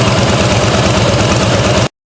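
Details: 2009 Harley-Davidson Fatboy Softail V-twin idling after an oil change, checked for leaks: lumpy, loping idle with a steady uneven thump and no ticks or knocks; a sound, healthy idle.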